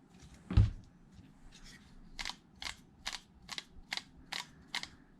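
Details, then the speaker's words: 8-year-old Traxxas Wide-XMaxx motor spun by hand: dry uneven clicks about twice a second instead of smooth whir; bottom bearing found bad. "that bearing shot bad bearing the bottom bearing"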